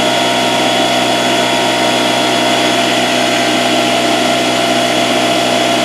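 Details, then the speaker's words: Porter-Cable 6-gallon pancake air compressor, 1.5 hp, 3.5 SCFM at 90 psi, after repairing broken copper line that prevented pressure build; loud steady even drone, gauge pressure rising to about 70 psi and holding; repair works. "well stop it right there you can clearly see on our gauges that the pressure is rising and going up"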